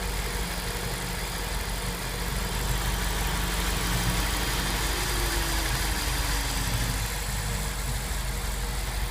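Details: SRT8 V8 idling with deep steady rumble and a faint, loosely regular ticking on top.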